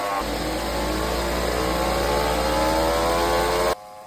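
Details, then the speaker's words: Lexus NX at about 100,000 km: a steady droning hum rising with road speed from the K114F CVT, where both bearings had spun in the housing, blamed on hard starts; the CVT was repaired. "что в действительности гудит шум подшипники гудят здесь"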